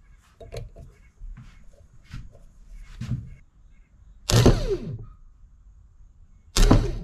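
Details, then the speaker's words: Zero-turn mower starter, removed and hot-wired on the bench for an intermittent click-no-start: two short whirring bursts winding down, motor spins freely with no catch; starter drive not engaging, starter replaced. "you see a spinning but it's not engaging"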